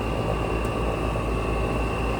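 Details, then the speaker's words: Rooftop unit at a site where the freezer isn't keeping up: running but sounds bad, heavy low droning hum with steady high whine, rough and shaking, vibrating a lot; cause not identified, technician thinks the equipment needs repairs. "this one's working. It's just, it sounds bad. Like it's vibrating a lot."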